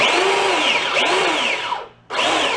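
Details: Small DC drive motor from a garage-sale find, fed 24 volts from batteries: a clean high whine drops away, pauses, then spins straight back up in reverse via the shifter. The motor is healthy and runs smoothly.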